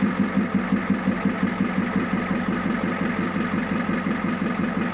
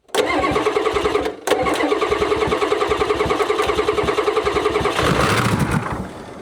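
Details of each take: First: 1994 Ford F-Super Duty diesel dump truck, first start after years of sitting, air cleaner removed, with oil pressure confirmed: even, steady idle with a regular knock of about three beats a second and no misses, putting out a little smoke, running healthy. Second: 1994 Ford F-Super Duty diesel dump truck that sat for years; injector lines cracked, and diesel is reaching them. Even starter beat about three and a half pulses a second with no firing; long crank, no start, possibly lost prime.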